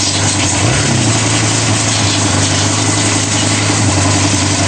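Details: Kawasaki Barako motorcycle idling steadily and evenly after repair, with no knocks or misses, warm and running normally; it had not started after sitting, with a flat battery, dirty carburetor and idle set too high, now lowered; charging now 13.2 V.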